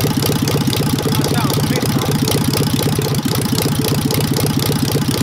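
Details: Engine with a Solex 30 PICT carb, just restarted after the flooding needle valve was replaced with the original: a lumpy idle with uneven beats around four a second and dropped pulses. Timing is close, and a valve problem is suspected for the misfire.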